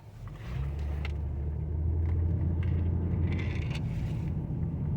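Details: 2011–2021 Dodge Durango/Charger family, after fixing knocking while driving and turning, driveshaft support area: smooth low rumble rolling through full turns with no knocks or clunks; healthy.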